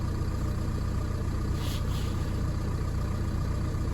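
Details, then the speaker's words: Ford S-Max after replacing carbon-contaminated broken EGR actuator: low, even, smooth idle with no misses or hunting; running fine, no fault code. "I mean you could hear it was running fine and there was no fault code"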